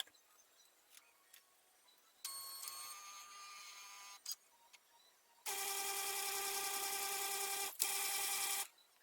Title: Lexmark MB2236adw fuser grinding noise